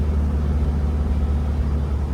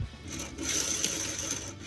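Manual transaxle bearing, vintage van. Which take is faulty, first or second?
second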